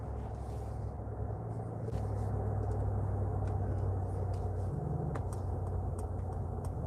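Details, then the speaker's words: Steady deep bass hum from the external pedestrian warning speaker of a Mercedes G580 electric while driving, audible under road noise and louder with windows open; normal artificial warning sound. "I think they did a good job because the external noise, the fake noise actually has some deep humming. It's not just some small speaker making some midtonones."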